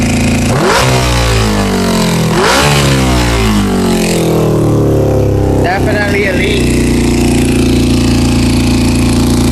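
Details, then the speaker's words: 2000 Honda CBR600, carbureted, with poor throttle response and hard starting, carburetor cleaner sprayed on the intake boots: two throttle blips, then a raised, slightly uneven idle; leaking carb boots, vacuum leak. "definitely have a leak in a boo all four of them just carburetor cleaner"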